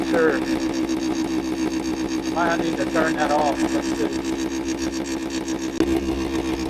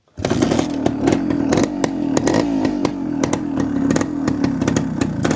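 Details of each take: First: 1973 Suzuki TS250 Savage two-stroke, barn-stored 25 years, carburetor just adjusted with idle turned up, oil leaking at front: fast idle with steady buzz and slightly uneven beat, possibly rich — uneven running, cause unconfirmed. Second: 1973 Suzuki TS250 Savage two-stroke, barn find after 25 years, carb recently worked on, not started for a few days, choked with a little throttle: catches at once into a raspy, slightly uneven cold idle with throttle blips; normal cold start.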